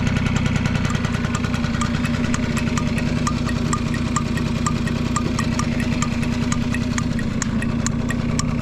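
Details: Vintage Honda Squash AB11 scooter, 12V electric start: even idle of about three light taps a second, no knocks or rattles; quiet, healthy engine.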